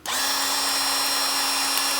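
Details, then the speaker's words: Cordless SeeSii 21V grease gun greasing a TYM 2515H tractor, steady even motor drone with no labouring after fitting was unbound from excess pressure; grease now flowing, pumping normally. "Yeah, you can even hear the motor's not pumping like it was."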